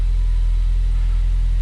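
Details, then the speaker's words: Ford Focus ST at cold idle just after K03 turbo replacement: a deep, steady rumble with no ticking or hiss. Oil pressure is high, no oil leaks are heard and some smoke is possible; normal cold idle. "obviously cars cold so pressure super high and so far so good doesn't sound like oils leaking anywhere good there's no leak"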